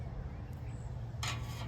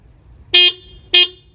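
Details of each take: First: 2021 Harley-Davidson Heritage stock horn after turning its tone adjustment screw half to full turn: two short thin tinny honks; still weak and reedy, adjustment barely changed it. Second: 2021 Harley-Davidson Heritage stock horn: two short toots, each about a fifth of a second, with a thin, bright, high-pitched tone like a VW Beetle horn; works normally but sounds weak, and the owner later replaced it with a low-tone horn.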